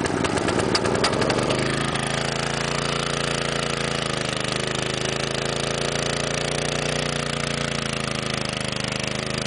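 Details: 1961 McLane edger, cold start after sitting a long time, choke and a little throttle, fuel tank low: catches and runs at fast, steady putter with slight waver, dies every run; stalling when low on fuel.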